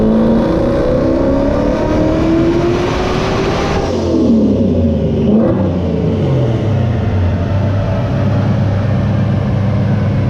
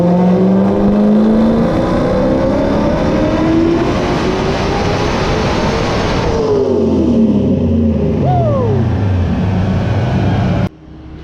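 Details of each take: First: Coyote-swapped 1993 Mustang Cobra, stock Gen 2 long block, 91mm turbo, on dyno at 9 psi boost: engine pulls hard with rising pitch, then roughens and breaks up at the top end of the pull; cause not confirmed. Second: 1993 Cobra with a Coyote swap and 91mm turbo on the dyno, new spark plugs, 14 psi commanded with 9 psi made, less aggressive timing, about 668 hp. Strong, smooth wide-open-throttle pull rising steadily with no breakup, then a clean lift-off: normal.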